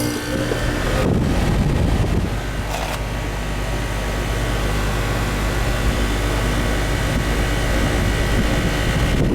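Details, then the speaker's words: Two-year-old York central AC outdoor condenser unit: the fan spins with a steady rush over a low even drone, no knocks or rattles, but the system isn't cooling. A capacitor is hoped for but not confirmed. "the outside condenser fan's spinning, but it don't seem to be cooling."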